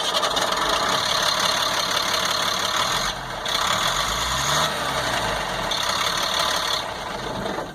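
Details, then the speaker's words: 1998 GMC C8500 with Cat 3116E diesel idling after air in the fuel line was fixed: steady, even idle with ordinary injector clatter and no misses, running better than ever; an intermittent no-start remains, ECM suspected. "Yeah, we did get that taken care of, and now when it does start and run, it runs better than it ever did, which is great."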